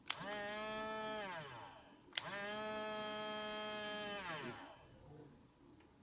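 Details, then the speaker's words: 1997 toy R2-D2 (Artoo), 6-volt motor drive: small motor whines up, holds a buzzing, vibrating pitch, then winds down, twice; pinion gear on motor shaft slipping further off, so it won't roll. "Yeah, see, you hear that? It's vibrating, and I think that little gear is sliding even further off."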